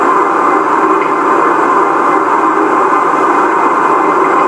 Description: Metal clanking noise coming from shaker during random vibe profile